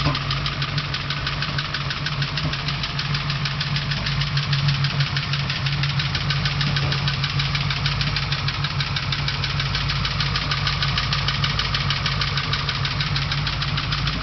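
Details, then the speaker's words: 383 small block Chevy V8 with about 1,200-1,500 km since build, rough idle: steady sharp ticking about three per second; also heavy blow-by and oil consumption, owner suspects rings not seated and expects it will likely need a teardown. "It has approximately 1500 kilometers on it, and it's developed a ticking sound and still has a lot of blow by and consumes a lot of oil still, so I believe it needs to come back apart."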